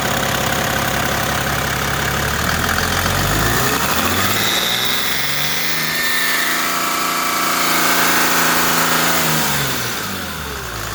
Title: Screeching noise coming from my om 606